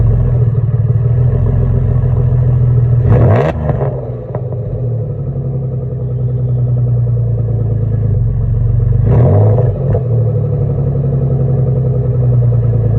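Deep rumbling idle with a rough puffing edge that swells on each blip of the throttle, typical of an exhaust leak.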